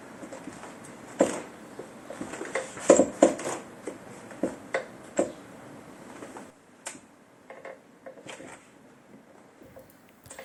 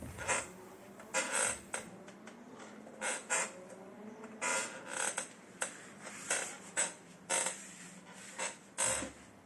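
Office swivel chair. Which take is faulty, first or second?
second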